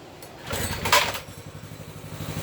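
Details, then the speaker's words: Baja Warrior 200cc single after an oil change, cold start on choke: after handling noise a quick, even putter settles in; normal cold idle, needs to warm up. "Let's turn the gas on. Boom. Gonna choke it. Hot jam. She needs to warm up."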